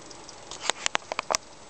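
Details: XFX power supply (Seasonic-built), two years old, in an HTPC: a few sharp, irregular ticks at random moments over quiet, even at low load; owner suspects coil whine, cause unclear.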